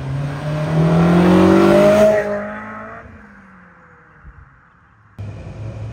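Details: Silver Honda S2000 with UK Mod exhaust, drive-by: strong rev then fade, crisp note with no steady drone; healthy exhaust.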